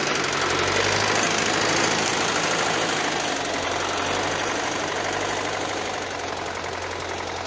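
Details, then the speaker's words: YuMZ-6 diesel tractor, not yet run in, reversing with a 2-body PLN plough in wet spring field: steady diesel clatter, no whine from the gearbox in reverse; normal transmission operation. "Ну ось назад дає будь ласка Ні Вою немає"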